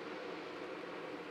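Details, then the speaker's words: MAXX Fan Deluxe roof fan in Winnebago Revel after replacing motor bearings (608Z to 6082RS), at full speed: only soft even air rush, no squeak or tick from motor; bearings healthy. "I mean I can hear the fan running I can hear the air moving but there's no noise from the motor itself"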